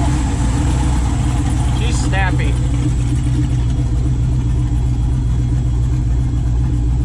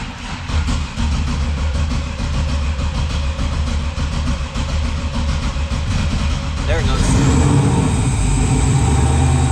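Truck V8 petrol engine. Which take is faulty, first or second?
second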